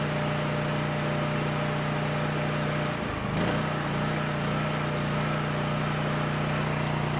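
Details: Coleman Powermate 6560 generator, after the fix for running only on choke (carburetor gaskets had been in the wrong order; oil was overfull and smelled of gas), under a 1000 W heater load: steady drone, constant low hum, no hunting or misfire; normal running.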